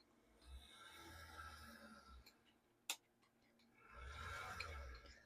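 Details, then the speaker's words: HO scale Athearn Bluebox F2 locomotive (Marx shell on Athearn chassis) after restoration, running at about half power: light even whir, no stutter or grinding; much smoother than before, normal smooth running. "that's actually really smooth compared to how it was earlier and this is only at about half"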